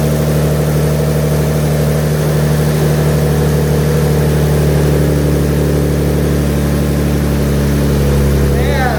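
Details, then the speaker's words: Nissan 370Z VQ37 engine first started after an engine refresh and rebuild: even, settled idle with a smooth drone and no tapping or stumble. Runs clean and smooth; normal idle. "Oh, she's alive. Beautiful. Listen to that. Sound. Wow. So sound. So clean. So smooth. Just checking out the idle."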